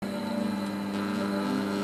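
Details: 12V 4A turbo blower used as a lab exhaust fan: piercing steady high-pitched whine holding constant like an air-raid siren, with motor and impeller screaming loudly; loud blower whine.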